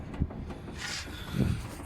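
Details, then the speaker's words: Lada Vesta with 75,000 km, steering rocked back and forth: two dull, low thumps about a second apart from worn inner tie rods in the steering rack, outer tie rod ends intact; rack to be removed and inner rods replaced. "Короче говоря, внутренние рулевые тяги в рулевой рейке вышли из строя."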